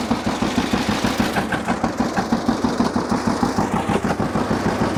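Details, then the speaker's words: 1950 John Deere GW two-cylinder tractor (live hydraulics, Char-Lynn power steering, Baker Valve) idling in neutral after starting, choke may smooth it; slow, even putt-putt about three beats a second, steady, no knocks: normal healthy idle. "is good running old g let's check it out a little bit just listen to it and i'll show you around"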